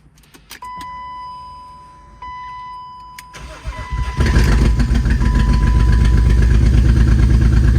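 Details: BMW E36 started for the first time in two years, mass airflow sensor unplugged: cranks a few seconds, catches, uneven loping idle with stumbling beat.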